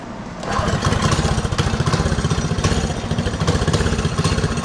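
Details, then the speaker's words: Mini drift quad on its first test drive after a new gas tank, front and rear brakes and throttle were fitted: a small single-cylinder engine catches and settles into a quick, steady low thump with no misses, running fine. "she runs pretty good I'm going to give her that"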